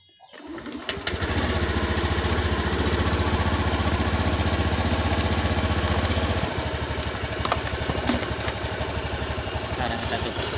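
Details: Honda BeAT FI scooter that lost power and stuttered at full throttle, fixed by shimming with hose instead of replacing TPS: picks up cleanly, holds steady revs, drops to a smooth idle; normal revving.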